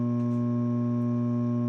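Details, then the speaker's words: 1970 Ampeg B15N bass amp: a steady low buzz with even overtones from about 6 V of plate supply ripple; the tech suspects the last decoupling/filtering stage feeding the preamp plates and plans to disconnect it. "This is all coming from the power supply. That last decoupling slash filtering stage, something's going on."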